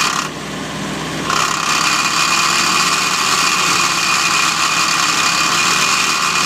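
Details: Ford GPW Jeep after engine rebuild, with new clutch disc, new throwout bearing, same pressure plate and grease-packed bearing carrier. Clutch works, but a steady thin whirring hiss appears over the running engine when the clutch pedal is pressed.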